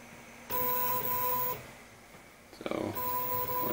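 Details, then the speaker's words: RepRap Wilson TS 3D printer during firmware setup: two clean bursts of steady high stepper whine about a second each, Z-axis motors moving normally without skipping. "if it's skipping around or making odd sounds then might be like the problem with our y but this looks like it's working great"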